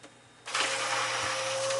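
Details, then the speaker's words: Sailboat bilge pump switched on: after a brief quiet, steady mid hum over a rushing gurgle with the water level dropping; normal pumping. "if you hear the the gurgling tght sound and and you'll see the water level going down that's what we're looking for"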